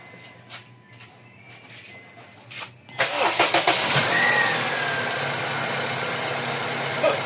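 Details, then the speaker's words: Honda FD with R18 engine after replacing the serpentine belt tensioner with original parts: starter catches and the engine settles into an even, quiet idle with no chirp or rattle. Tensioner noise gone. "Wala nang ingay boss ah. Tahimik."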